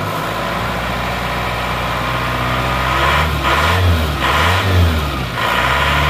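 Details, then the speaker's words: Diesel after the rebuild and replacement of the timing gears: smooth, even idle with quick throttle blips, no knock or rattle, revs rising and falling cleanly. Normal revving. "Ja sekarang soalnya sudah halus"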